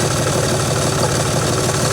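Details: John Deere 5300 tractor diesel at steady idle after replacing the alternator (no-start with clicking, new battery read 11.8 V); even low rumble, no knocks or misses, charging now 13.17–13.18 V, running normally.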